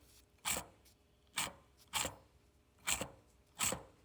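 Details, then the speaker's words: Rough, gritty support bearing on the removed old axle, turned by hand: five short uneven scraping bursts; customer reported a rolling noise only while driving, opposite side quiet; whole axle replaced with new bearing. "yeah the noise is coming from that bearing right there probably have to change the whole axle we're about to find out yes my people and this is the old axle here's the bearing see if i can't hear it"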